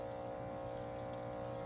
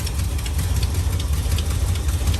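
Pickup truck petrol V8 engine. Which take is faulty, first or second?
second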